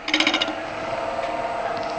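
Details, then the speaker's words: Dried elm bowl, green-turned months earlier and gone oval, back on the lathe at about 1000 rpm: spindle gouge scraping gives quick rattling chatter on the high spots, then steady hiss; intermittent tool contact on an out-of-round blank. "i'm going to just take my spindle gouge and scrape that and you can hear how out of balance that is"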